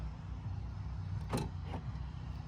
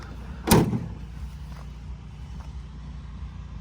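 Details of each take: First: 2017 Ford F-150 power tailgate at idle: brief motor buzz and fainter click as the latch tries but fails to release; weak latch actuator, fixed by replacing it. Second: 2017 Ford F-150 power tailgate after replacing the weak actuator: two solid clunks over low idle hum as the latch releases and gate opens normally.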